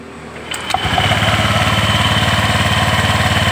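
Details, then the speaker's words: Honda Vario 125 after CVT repair: the very loose drive belt was refitted and the pulleys are now tight; starter catches and the engine settles into a smooth even idle, about 220 beats a minute, with no belt-side clatter. "Bagus kan? Halus juga. Enggak ada bunyi klatak-klatakaran."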